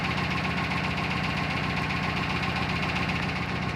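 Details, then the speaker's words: Built 400hp Subaru Outback XT on quick jacks, intermittent noise over 2000 miles: steady regular knock about two per second under a constant drone; feared rod knock, owner now suspects the front diff, not confirmed. "Oh, it's not rod knock. It's not rod knock. It's coming from my front diff."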